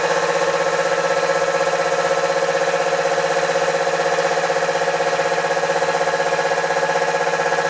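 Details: Newly installed shed air compressor, replacing the old one, first start-up; even pumping beat about two strokes a second with steady hum, no knock or squeal, no louder than the old one; running normally.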